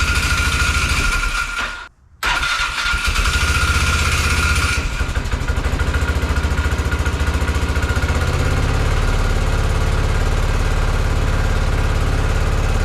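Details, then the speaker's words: Polaris Sportsman 500 ATV, unknown year, after sitting, fresh gas poured in, manual choke on; cranks, catches, settles into choked, hunting idle that won't take throttle or run off choke; runs only on choke, clogged carburetor jet suspected. "that's a sign that we got a jet clogged I think that I can't take it out of Choke and I can't give it any gas so we might have to clean that carb"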